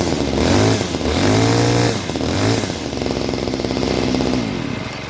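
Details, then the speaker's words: Homelite 2-stroke string trimmer with new string: fires and revs up and down cleanly, pitch following the throttle smoothly with no misses; normal running and revving. "Also, it's gonna smoke a little bit more because it's a 2-stroke, so whatever. All right, let's fire up the old Homelite here."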